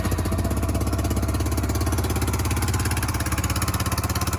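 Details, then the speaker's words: Yamaha YBR 125 Custom single-cylinder being checked after an accident: sharp regular exhaust chuffs about three per second over the thump; still blowing a little at the bottom exhaust joint, may need a new gasket. "So it's definitely blowing a little bit out of the pump still. Let me have a look. Yes, there's a little bit blowy at the bottom still. So we might need a new gasket there."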